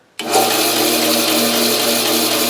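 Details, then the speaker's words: Bandsaw with new tires, after adjusting the lower blade guide that was rubbing: motor spins up to a steady even hum, no rubbing or scraping; runs clean. "so I made those adjustments let's turn it on and see if the noise is still there"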